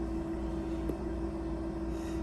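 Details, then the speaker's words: Shaker incubator at 200 RPM, 37 °C with a 400 mL LB Miller broth bottle of XL1-Blue cells, taped in place; steady low hum, constant mid tone, no knocks or rattles; liquid swirling for aeration, normal running. "There it is shaking. You can actually see the liquid swirling around quite a bit inside the bottle. That will keep it aerated."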